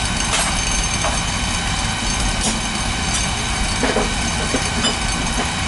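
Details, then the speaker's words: Beckett oil burner on a boiler, running after repairing a no-spark fault blamed on a bad transformer: steady even roar, only faint clicks, flame holding; any smoke goes off through the chimney, so it must keep running. "smoke. Keep it running. That smoke will will go off the chimney. You don't want to shut it off cuz it can explode."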